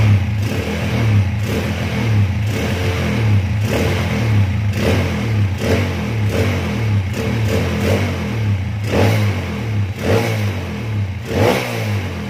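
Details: Honda CB/GL/MP/Tiger single motorcycle after ignition timing at the pickup changed from 15 to 17.5 degrees to cure kickstarter kickback: blipped about once a second, revs rising and falling cleanly, steady idle between: normal running.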